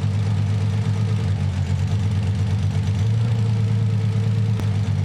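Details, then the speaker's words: Nissan 300ZX (Z32) cylinder balance test with Consult tool: low lumpy idle changes note when cylinder one is cut, so it fires; cylinder two is dead. "I'm going to turn it off now and you hear no change in the sound of the engine"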